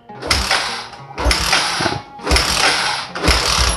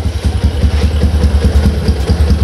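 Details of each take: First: Old Yamaha Jupiter MX on a cold morning: four one-second cranking bursts, engine never catching; hard starting and sputtering, suspected faulty automatic fuel valve, replaced with new part. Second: Old Yamaha Jupiter MX motorcycle after repair of stuttering and hard starting, cold morning: starts on the first press and idles with a steady, even low thump with no misfires.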